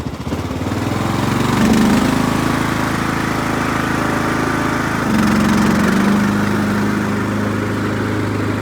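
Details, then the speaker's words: 2003 Craftsman LT2000 hydrostatic, 18.5 hp Briggs & Stratton Intech, mowing with the deck engaged: a steady single-cylinder drone that dips and recovers slightly under blade load, no misses or knocks. "Well, got her out in the sunlight. Running pretty good. Let's see how she mows."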